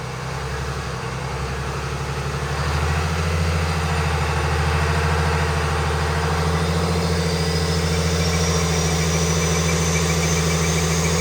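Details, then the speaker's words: Stock 2020 Cummins automatic on a chassis dyno with the air filter removed and the airbox lid flipped upward: heavy diesel drone under load with a rising turbo whistle, much louder than with the filter in; it ran rough, likely from disrupted mass airflow sensor readings. "You can definitely hear the turbo way louder than it's been with the box and the air filter in it."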